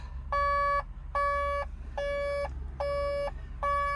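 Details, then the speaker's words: 140 LCR excavator diesel idling with cab alarm giving five half-second beeps about seventy a minute, warning lights on, alert "catalyst tank level low" after SCR malfunction report: low AdBlue level. "Catalyst tank level low, catalyst tank level low, catalyst tank level low. Right, let's put some AdBlue in it."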